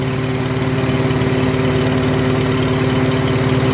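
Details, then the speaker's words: Farmall H tractor engine after tune-up work (new plugs, plug wires) and a cracked spark plug side electrode pulled out and straightened; steady, even idle with smooth low beat, no misses, running beautifully; problem solved. "listen how much better that sounds Oh just about sounds like the app let me it sounds really good"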